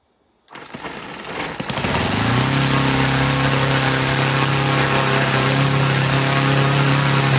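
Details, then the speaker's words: Laser four-stroke model engine in a Flair DR1, previously seized with low compression, after carb adjustment with factory settings lost: catches after sputters, settles into steady even buzz, running cleanly; needle not leaned. "Well, there you go. That was a resounding success. I didn't even attempt to lean the needle out. I just know it runs and I'm happy with that."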